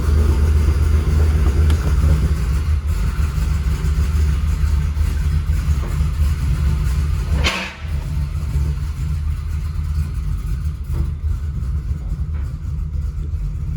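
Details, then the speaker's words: LT1 V8 with a big cam on speed-density tuning, barely running after the first tune, fuel pressure good: deep rumble that sags and hunts and nearly dies at closed throttle, unable to hold a steady idle RPM. "having trouble maintaining the idle RPM look at a good data log it's closed throttle feeling good"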